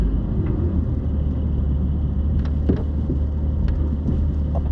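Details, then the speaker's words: 2021 Porsche 718 Cayman GT4, 4,500 miles, rear clunking since new over speed bumps and potholes; low road rumble with sharp knocks as the rear crosses bumps at low speed; owner suspected loose strut tops, but replacing the rear sway bar fixed it. "uh that sounds like something's loose it does it's oscillating yeah yeah that's something"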